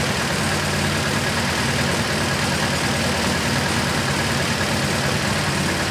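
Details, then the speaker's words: MGB GT with Lumenition optocoupler electronic ignition, scope shows cylinder 2 with no or only sporadic spark pulses: uneven stumbling idle with irregular dropouts; misfire from faulty ignition module. "now you can see that the yellow Channel which is cylinder number two really is having no pulses various sporadic"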